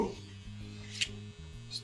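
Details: Mac 800K floppy drive M0131 during ejection-mechanism repair with a replacement gear fitted: small eject motor whirs and stutters through shifting low tones against the load; gear train binding, first gear suspected, axle possibly dirty.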